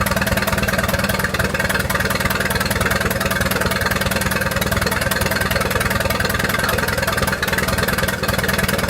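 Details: 1928 Farmall Regular tractor running after carburetor tweaks, just started with timing advanced about halfway: steady chug about three beats a second, even firing, no knocks; healthy normal running.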